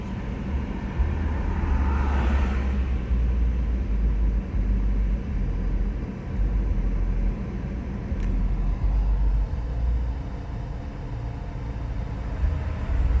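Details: BMW E46 320d diesel below 7 °C with heater on: idle keeps rising and sagging in an uneven low rumble instead of holding steady; hunting idle, cause unknown.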